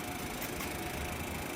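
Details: Window air conditioner about 10 years old, running after disassembly and mold cleaning: steady even rush of fan air, no scraping, rattle or knocking; airflow noticeably lighter than before cleaning; runs smoothly.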